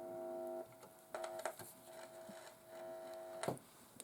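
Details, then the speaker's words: HMV 1421 valve radio under restoration, with its original capacitor wired out to a breadboard. A steady reedy buzz cuts in and out with wiring clicks; it is blamed on the long wires' capacitance and stops when a hand is moved away. "that buzzing you can hear is the reaction because of these long wires you know their capacitance and stuff"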